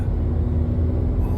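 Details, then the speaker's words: 2004 Cadillac SRX test drive after rear wheel bearing replacement, approaching 40 mph where noise was: only low steady road rumble, no hum or growl; bearing noise gone, normal quiet driving. "this one so quiet it'll put you to sleep that's not good I don't want to fall as sleep while I'm driving"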